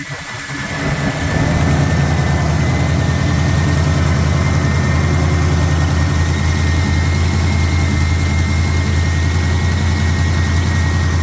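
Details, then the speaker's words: AMC 360 V8, first cold start at about 20 degrees after two weeks off, following valve cover and oil pan reinstall: catches and settles into a deep idle with a faint quick tick from an exhaust leak. "and uh the ticking that you're hearing is an exhaust leak"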